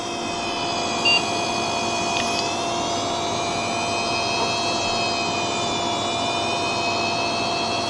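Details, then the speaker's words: Hard drive with a finger run across the square chip's contacts on the circuit board: high steady multi-tone whine climbing as the spindle motor is forced to overspeed, sometimes making the head bang. "you just run it across and then it speeds up the motor and sometimes makes the head bang against the the motor part"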